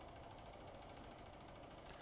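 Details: 2015 Honda Fan 150 motorcycle at 62,000 km, started after a ride of about a hundred-odd km, showing the earlier engine noise has dropped a lot: steady, even idle with a soft low rumble and no tapping or rattle; healthy, normal idle.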